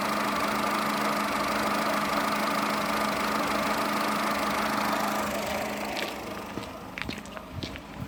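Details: Skoda Fabia 1.4 16V 63 kW, engine shaking at idle with exhaust coughing, no RPM change: uneven lumpy pulse about three times a second before cutting out; cylinder 1 ignition coil faulty, replacing it fixed the misfire.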